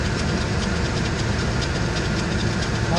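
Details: Ford Expedition 5.4 L Triton V8, hood closed: light, fast, regular ticking over the idle; owner suspects the serpentine belt, not confirmed.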